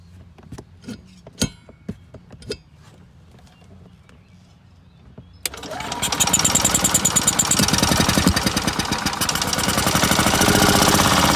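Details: Older Yamaha single-cylinder golf cart after fuel system overhaul and no-spark repair, with choke as fuel reaches carburetor: scattered handling taps, then it catches and settles into a fast, steady chug about two hundred beats a minute; normal running.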